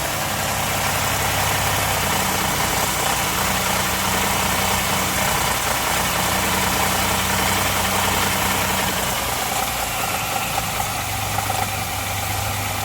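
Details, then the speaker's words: Truck in for check engine light with a correlation code, cold start after sitting overnight, noisy about 45 seconds: idle with a coming-and-going metallic clatter over the hum; tensioners suspected, not confirmed. "Yeah, I think that's tensioners making noise."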